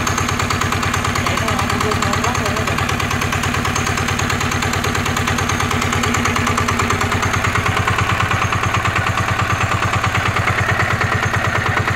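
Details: NF19 single-cylinder diesel, original and unmodified: even steady thumping at constant speed with no misses, knocks or hunting; healthy, vibration-free running.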